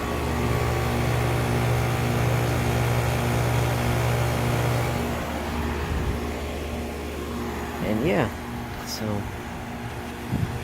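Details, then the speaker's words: 2002 Lennox Elite series 3 to 3.5 ton outdoor AC unit with Copeland scroll compressor, first startup of season: steady low hum with even fan whoosh as compressor comes on and settles; clean normal startup. "and she's off hear the copeland scroll coming on"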